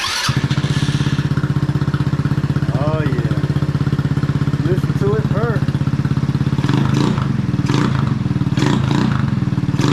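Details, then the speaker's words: 150cc GY6 scooter after reassembly, battery on a jump charger; even, steady single-cylinder putter with no knocks, misses or rattles; healthy idle. "sounds really really really good now check that out"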